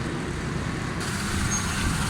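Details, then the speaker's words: Suzuki Alto 1000cc petrol engine idling after carburettor jet repair for a pick-up and fuel fault. The idle is steady and even with a smooth low hum and no misses, knocks or rattles; the sound is good, including at the rear. "गाड़ी का sound हर चीज़ ज़बरदस्त है। पीछे भी माशाल्लाह cylinder का sound ठीक है।"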